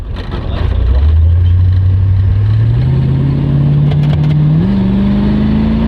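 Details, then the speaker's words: 1971 Buick Skylark, Buick 350 V8 with automatic, on its first pull with a new exhaust: a deep rumble climbing smoothly in pitch with revs, no popping or rattles. Sounds much better though not great, a normal V8 exhaust note under acceleration. "as I'm sure you can hear it sounds a lot better but it's not great by any means just to crap the old 350 Buick"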